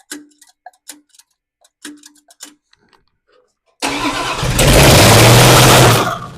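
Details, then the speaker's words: Plymouth Duster Slant Six at first fire-up after install, timing still off; engine flares to a loud, sustained high rev that won't come down because the throttle isn't hooked up to stay closed. "see well she wants to scream eh um I guess that's be it's because the the throttle blade is all right yeah that's my mistake got to get the throttle hooked up here so that she's staying closed"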